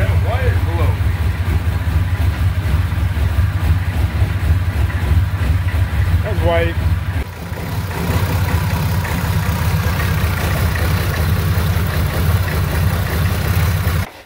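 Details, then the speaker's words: Oldsmobile-style V6 diesel in a C3 Corvette after fuel pump fix and injection timing adjustment: deep, steady diesel clatter holding an even beat without hunting or stalling; runs great with the fuel pump working. "well there we go fuel pump fixed it she runs awesome"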